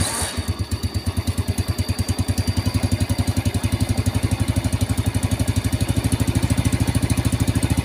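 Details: Vega R motorcycle: starter cranks heavily with a steady, labored low chugging; engine oil is thick and the combustion chamber is to be cleaned, with the exhaust also due for repair.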